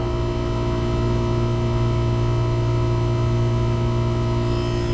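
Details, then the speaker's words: Daikin McQuay water source heat pump not cooling, after rewiring the compressor contactor coil supply: steady low electrical hum and even drone, no rattles, supply air 88°F and dropping; normal compressor running. "all right everyone i hope you can hear that got the compressor running got a thermometer in the grill"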